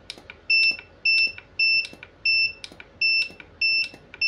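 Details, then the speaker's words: Godox SK400 studio flash after repair of E3 error and calibration: sharp pop then a steady high double-pitched recharge beep about twice a second; normal firing and recycle. "Wow, udah luar biasa ya Om ya. Powernya kembali seperti semula."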